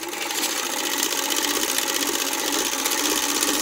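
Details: Ciné Kodak Model A 16mm movie camera, hand-cranked at normal two revolutions a second for 16 frames per second: fast, light clockwork chatter, even, no catches or scrapes; claw and shutter mechanism sounds healthy. Normal running.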